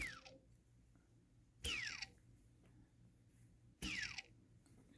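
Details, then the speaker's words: Eachine/Diatone ER349 racing quad, unused return: right rear motor flicked by hand gives a gritty, crunchy rasp and vibration under a falling whirr, a bad motor bearing, unlike the three normal motors. "now this motor is bad it crackles get a real good demonstration on this right rear there all the vibration"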